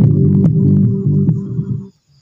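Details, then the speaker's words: Homemade active speaker amplifier after repair, 18 V transformer instead of 24 V: bass-heavy music with a rough raspy edge, persisting with good speakers; fault was the RCA cable contact at the volume pot. "Nah ini saya udah tes pakai speaker speaker yang masih bagus tetep aja suaranya masih ada suara serak-serak gitu"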